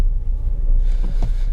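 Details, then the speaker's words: VAZ 2110, camera mounted at the rear while driving on a rough road: dull, uneven thumps from the rear wheels when the brake pedal is pressed, audible even in the cabin; rear brake knock, cause not yet found. "В общем, ребята, вы слышали этот стук. Стук был не очень приятный, потому что его было слышно как в салоне."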